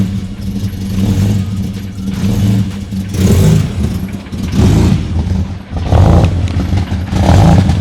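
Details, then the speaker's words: Ford EF Falcon XR6 cold start with aftermarket tune chip (fans on immediately): revved in uneven bursts, deep, lumpy, burbling; rough running, raw fuel from exhaust and smells rich, suspected over-rich tune. "this is a cold start by the way as well foreign [Music] oh my God it sounds like a burnout car"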